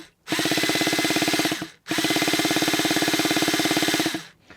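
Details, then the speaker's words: Traxxas T-Maxx nitro RC monster truck, brought back from dead, turned over with glow starter: two bursts of fast, even chuffing with steady compression pulses. Normal cranking, expected to start. "well that sounds fine there's nothing wrong with that there's nothing wrong with that at all I reckon it will go"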